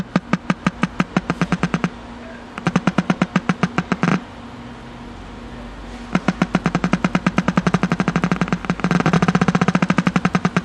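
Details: Packard Bell 35 old AM tube radio with wax IF transformers, first power-up after new power cord, antenna attached: sharp pulsing clicks about eight per second, pauses, rising warble. Oscillation; owner suspects a shorted part, unconfirmed.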